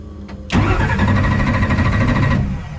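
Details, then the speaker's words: Drag car Leroy just after a run: brief crank then loud, lumpy, uneven idle with a stumbling beat, dropping a cylinder or two though compression good; suspected broken rocker, not confirmed. "like it's down a hole or two, but that's good compression. Doesn't sound good. Sounds like we broke a rocker again."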